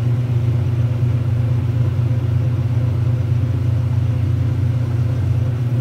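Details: 1978 Kenmore 70 Series top-load washer with new-old-stock motor, belt and pulley fitted: steady low rumble with a slow rhythmic woo-woo surge about twice a second while agitating a heavy water load; smooth, normal agitation.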